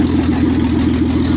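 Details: 1986 Ford Ranger after being swamped in a lake: cranked and fired up, now a steady, even engine note with no stumble or misfire; running cleanly again.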